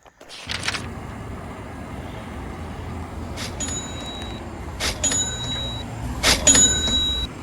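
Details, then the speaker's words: 2003 VW New Beetle 1.8 Turbo, 129,000 miles, active rear spoiler run by manual switch with key in ignition: a few seconds of thin electric whirring framed by sharp clicks at start and stop; spoiler motor travelling normally. "so there is a switch that's right there you see it's right here okay so this has the manual switch for moving the spoiler up and down your key has to be in the ignition for it to actually function"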